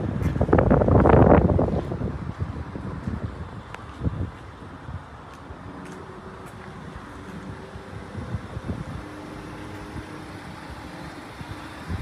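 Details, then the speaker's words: BMW 650 with 72,000 miles at an auction, the age where the timing chain gasket is a concern: short crank and a quick flare, then an even settling idle in light wind with no misses or knocks and sounds good. Normal start and idle. "yeah sounds good"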